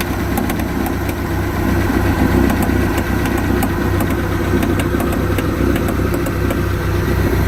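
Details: 1986 Sea Ray boat with new coupler, outdrive and gimbal bearing: deep idle rumble with sharp, uneven clicks, seemingly from the rear of the motor; cause unknown.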